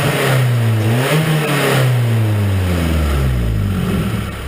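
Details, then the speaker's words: Nissan KA24E truck engine revved after new rocker arms fitted and bled: smooth rising and falling revs with an even exhaust note and no ticking or clatter; normal quiet valvetrain. "give her a few Reb weather let the oil get through and listen to that quietness that is quiet I love it"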